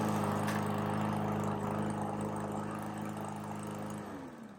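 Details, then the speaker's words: Lawn mower that would not start, spark plug already replaced, handle lever cable loosened at one end: single-cylinder runs steadily, winds down and stops when handle released; normal running after cable adjustment. "it turned on and when I lose the handle it turned off"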